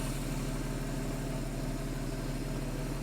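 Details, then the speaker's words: Porsche 911 (997S) idling after replacing the serpentine belt, the tensioner and the bad tensioner lever, with the airbox and mass airflow sensor disconnected. Steady, even low idle, smooth consistent rumble, no knocks, ticks or hunting; sounds perfect, purring: normal idle. "It even sounds right. The engine sounds perfect. It's purring."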